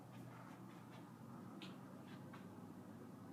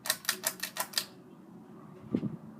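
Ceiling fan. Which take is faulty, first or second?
second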